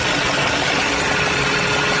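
Steady idle with a constant gritty whirring drone riding over the engine, typical of a noisy balance shaft.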